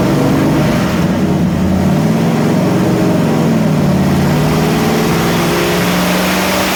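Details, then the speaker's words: 451 big block Mopar stroker for a 73 Dodge Charger, on an engine dyno, never ran correctly since built: V8 revs climb unevenly and sag back, surging against a load that won't hold because the dyno water brake ran dry. "What actually happened was we ran the water brake out of water on the dyno, so we have to put more water back in it. And now we're working through an issue where it seems to be accelerating and then stalling and then accelerating and"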